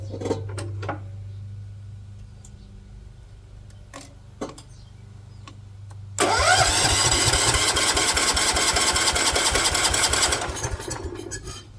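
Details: 1970s AMF 1414 barn-find garden tractor, first start after a no-spark fix and fresh oil: clicks and cranking, then a choppy single-cylinder run of about four seconds before dying. It sounds fuel-starved; owner suspects the fuel filter doesn't suit the fuel pump.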